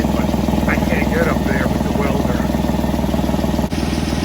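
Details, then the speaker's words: Chevy Tracker/Grand Vitara at idle after welding a cracked flex coupler in the engine pipe, before wrapping in fiberglass tape: quick regular puffing ticks about four per second over the idle rumble; only slightly better, exhaust leak still escaping from the patched flex pipe. "is it better a little bit but I can feel it mostly coming out right from up here that's good where we welded"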